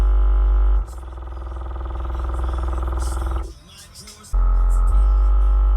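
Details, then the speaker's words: Cheapest pair of Harmony HA-RD12 12-inch subwoofers in a car, both faulty, possibly dropped: bass notes come through buzzy and rattly with a loose flapping edge on the low hits. The subs are rattling, cause uncertain. "Well, enough of that rattling."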